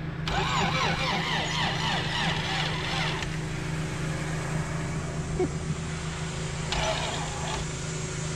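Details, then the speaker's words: Honda CRX with B18 engine, sat about two years, starting fluid sprayed in: starter whirs about three seconds then cuts out, and a brief second try fades. No start, battery run flat; timing suspected off a tooth. "so it didn't start we ended up killing off the battery"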